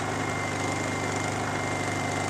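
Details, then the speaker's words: Honda EU2000i generator, about 8 years old, after orifice cleaning: smooth constant drone with a faint even hum, no surging or hunting; running fine and quiet. "these don't generators are nice because that's it that's as loud as they run man you know and so you can stick them out here in the woods and and nobody can h"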